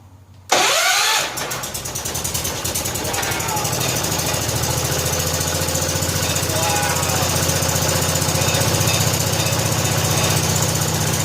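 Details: 1970 John Deere H3 garden tractor after head gasket replacement, cold evening (~47–48°F), old oil, idle turned up: catches after a brief crank, then settles into a steady, even low-idle putter with no misses or knocks; runs healthy.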